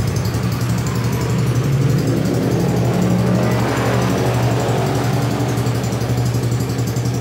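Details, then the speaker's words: Carbureted Honda Beat scooter that would not start, now running after a valve clearance readjustment: steady, low, even note with no knock or misfire. Battery is weak but charging is fine; normal running. "Kalau sistem pengisiannya masih bagus, cuma akinya sudah ini ya, sudah soak. Kita slash saja ya. Oke, yang penting hidup, kita lanjutkan besok saja."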